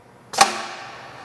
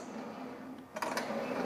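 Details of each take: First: JD Squared RC6 rotary cutter, round tube stabilizer enabled for fully automatic mode via machine settings checkbox, air hose connected at rear: one sharp clack with quick hiss dying away; normal stabilizer engagement. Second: JD Squared RC6 rotary cutter with round tube stabilizer: smooth quiet run turns into a loud scraping racket once the transfer balls are engaged and drag up and down on the tube, so they should be disengaged when not cutting.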